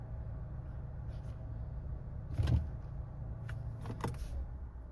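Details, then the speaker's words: 2017 Nissan Rogue Sport/Qashqai MR20DD with a VIN J relay crank-no-start problem (P0626): a short, even crank that catches cleanly into a steady low rumble with no dragging or clicking; a normal crank and start. "See that? That's a normal crank right there."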